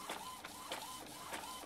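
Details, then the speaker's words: Epson L395 inkjet printer printing normally after the carriage sliding noise was fixed: smooth, even back-and-forth carriage whirs, no scraping, knocking or jamming. "Agora, sem barulho, sem travamentos. Perfeita a imagem."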